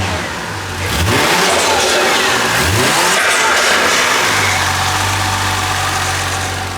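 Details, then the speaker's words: Toyota JZX90 with 1JZ engine, after oil leak repairs (cam gears, front main seal), possible clogged cat: crisp blips from idle, clean climb and smooth return to idle; sounds freed up and healthy, way better than before. "that's on fire yeah she sounds good though she sounds like freed up so"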